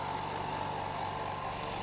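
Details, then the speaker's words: Hyundai SAC 55751 silent (59 dB) compressor filling tank toward 8 bar cut-off, about a minute: steady even hum with soft motor drone, no knocks or rattles, quiet enough to talk over; running healthy. "okay it takes about I think you can hear me normally now hopefully despite the compressor working and uh it takes about 1 minute for it to completely fill up the pressure"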